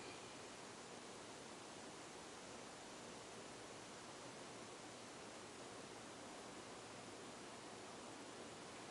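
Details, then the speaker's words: 1991 Heat Recovery Systems L-356 industrial ceiling fan with new bearings, on speed 3 via solid state control: steady soft rush of air with no grinding, ticking or rumble; bearings run very quiet, slight wobble. "speed no.3 as you can hear the bearings are very quiet"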